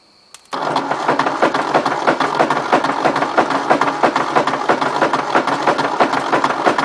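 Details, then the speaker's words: 1953 Ford Jubilee tractor, engine just freed after being stuck, cranked on a rigged battery, out of gear, penetrant and ATF in cylinders: uneven clunks about three a second while cranking, no firing; owner suspects broken connecting rod, starter or hydraulic pump. "I don't know about you guys but it kind of sounds like a motor with a bad connecting"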